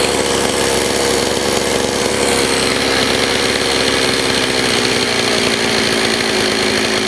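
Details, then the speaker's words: Old STIHL 026 chainsaw that sat about 10 years, with poor compression: loud, ragged two-stroke racket with an uneven rough note and no clean steady tone; piston and cylinder are scored. "It's got scoring on the piston and the cylinder. And you know, you could change all the seals, carb kit, everything, and it's still not going to run the way it should."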